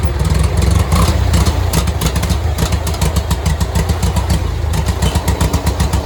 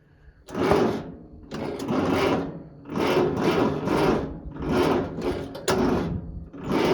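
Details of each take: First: Farmall Cub 140 four-cylinder tractor, revived after sitting five years, idled down with good oil pressure: deep, even low rumble with a light steady chuff about four times a second, just humming; running smoothly. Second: Farmall Cub 140 four-cylinder tractor, sat five years, after basic tune-up and starting fluid: labored, slow cranking in heavy surges about once a second, never catching; turns over but not fast enough, weak battery suspected.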